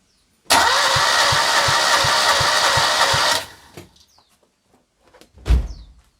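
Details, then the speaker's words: Citroën 2CV spare engine of unknown history, after years of storage, cranked with throttle wide open during compression test: starter churns steadily about three thumps per second; one cylinder read about 60, the other shows essentially no compression. "Oh dear. Well, it's interesting, that doesn't seem to have any compression at all, but that one's chuffing away."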